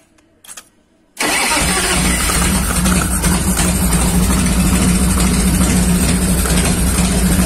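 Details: 1990 Harley Fatboy Evo V-twin after a carburettor clean (clogged jets had stopped it starting): brief crank, catches at once, steady loping idle with no stumbling; healthy.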